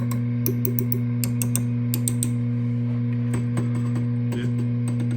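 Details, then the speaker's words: VHT Pittbull 45 Class A tube amp with EL84 power tubes whose silk screening burned off, chassis tapped: steady mains hum with sharp ringing pings; power tubes mechanically noisy and microphonic, preamp tubes too. "are all mechanically noisy and microphonic, and this one in particular. Your preamp tubes as well. They're all very loud."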